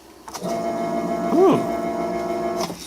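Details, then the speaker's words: Small submersible water pump, plugged in briefly: steady even electric hum with a rising whirr as it picks up; running normally. "sounds good sounds good and I guess we're good"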